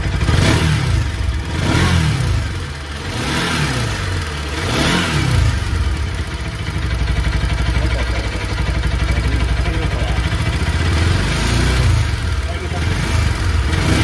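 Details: Single-cylinder bike idling and blipped through revs with a light tick riding on top from the cylinder head; tappet tick from loose valve clearance needing adjustment.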